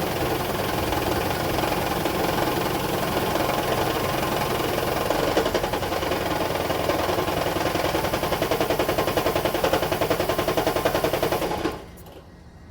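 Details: Toyota Estima Hybrid 2AZ-FXE 2.4L shaking heavily with steering vibration and the engine light on after a roughly 4.5 L oil top-up; lumpy idle pulsing three to four times a second, then cutting out; random multi-cylinder misfire.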